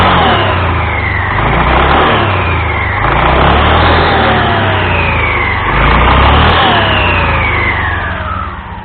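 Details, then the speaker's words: Honda Scoopy (Scoopy Donut) scooter after replacing drive belt and front pulley roller housing: engine revs and settles repeatedly, drive smooth with no rattle, slap or grinding; normal running. "Dan setelah dirasa semuanya telah baik, berfungsi dengan benar, maka baru kita akan memasang kembali semua yang telah kita bongkar, mengembalikannya ke posisi sebelumnya."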